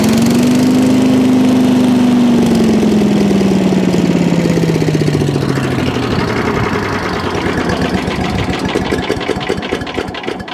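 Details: Allen chipper leaf shredder's small engine, started stone cold after carb cleaned twice: catches on choke, whining note sinks, then settles into a fast even beat about three or four per second; running properly.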